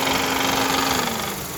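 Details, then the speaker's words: 2010 Honda Civic 1.8 L, shortly after an AC compressor replacement: a loud, busy metallic rattle over the idle with a wavering mid-pitched tone. The cause is a broken belt tensioner pulley. "so as you can see you guys the tensioner pulleys broken that's why the the engine is making so much noise right now"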